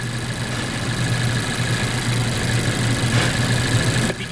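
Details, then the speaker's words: 2014 Mazda CX-5 2.0 L, about 140,000 miles, rough on start-up: lumpy idle with a dead misfire, engine shaking, no check-engine light or codes. "isfiring at idle right now dead mess I'm very surprised the engine light's not on"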